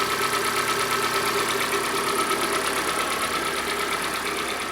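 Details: 2014 Kia Sportage facelift, G4NA engine, 71,000 km: idling with fast, light hydraulic lifter ticking and a dull slapping knock from under the hood; engine then torn down.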